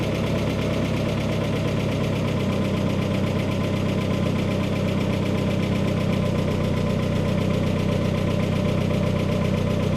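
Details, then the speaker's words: Freshly rebuilt turbocharged engine on first start, freshly painted, some smoke from oil burning off the turbo: a steady, even idle with a smooth low rumble and no knocking or misses, settling in as it warms; a healthy idle. "Sounds like she's settling in. You go sit in her, give her a touch of a rev."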